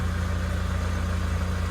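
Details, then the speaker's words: Toyota Revo low-cab, 2.4 diesel, 6-speed, after clutch job (copper-blend premium disc, two-stage soft-step pressure plate, flywheel resurfaced, new release and pilot bearings; earlier slipping, hard pedal): steady even idle, pedal pressed and released, no whir or rattle; quiet healthy clutch. "ปล่อยค่ะพี่ไม่มีเสียงดังนะ>>ไม่มี>>"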